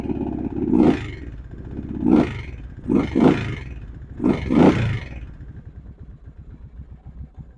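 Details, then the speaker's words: Kawasaki Prairie 650 V-Twin ATV with choke partly on: throttle blips then idle with a steady light knock each firing beat, not deep; owner guesses crankshaft or bad piston slap; smokes a little, runs and drives fine. "as you can hear she's knocking pretty good or something I don't know it's not a real deep knock like like a crankshaft would be but that's what I'm guessing it is"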